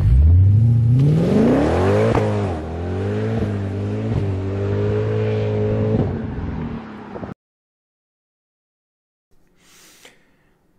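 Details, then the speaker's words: W204 Mercedes C63 AMG V8 with new long-tube headers, sport cats, new mid and rear silencers, recorded outside on an acceleration run: revs climb smoothly then a deep booming drone holds through the pull from the vibrating mid silencer; fixed with welded vibration damper and stock rear silencers. "what happened in the meantime in the past couple of weeks was that the car was back at the shop and they reinstalled the stock rare silencers with the stock tips and they welded a vibration dampener to the mid silencer so it stopped vibrating and making noises"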